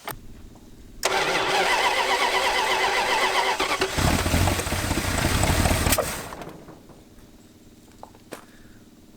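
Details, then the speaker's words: 1986 Dodge Diplomat parked 25 years, run without a thermostat while leaking coolant and with ignition timing being advanced: brief crank, then a few seconds of uneven, lumpy running before dropping away. Rough running. "still goofed up yeah let's just advance that real quick [Applause] what is your deal man oh God terrible"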